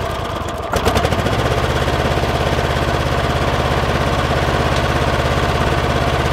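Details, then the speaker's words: Kohler 7000 series 24 hp twin running on one cylinder with occasional popping and a lumpy, uneven beat, and it bogs in tall grass. There is no spark on one side (ignition coil). The owner suspects mouse-chewed wires or a shorted ground wire. "you can hear an occasional popping noise I already did a preliminary on it"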